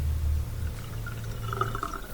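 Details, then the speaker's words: Dishwasher set to drain after removing a piece of glass stuck beside the drain pump impeller: low steady pump hum with water rushing and gurgling as the tub empties; normal drain. "draining properly now with the sink. So that's all it was, just a piece of glass stuck in there."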